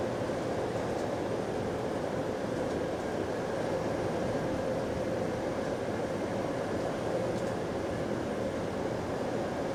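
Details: Recorded on a GAL EBD67 bus on route SL4 after the creaking suspension was fixed: a steady drone under way with a constant low hum and no creaking over bumps. The suspension is quiet.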